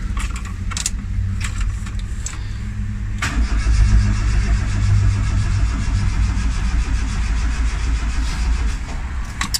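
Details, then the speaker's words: Turbo Tofaş Doğan in neutral: steady starter cranking at about three and a half beats a second that never catches or fires. Crank no start with spark plugs that are not sparking; the plugs are to be replaced with new ones. "Çalışmayacak. Bunu halletmemiz lazım. Yok. Çalışmıyor. Buileri sökeceğiz. Sökeceğiz. Bujileri değiştireceğiz. Bujiler ateşleme yapmıyor."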